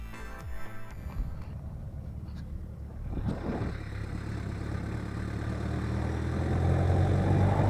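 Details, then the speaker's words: VW Golf Mk1 pulling away and gaining speed with only low engine and road noise, no brake squeal after cleaning and greasing caliper bracket, slide pins and pad backs; intermittent brake clunk returned a week later. "So the brake squeak is gone, but the clank came back after a week."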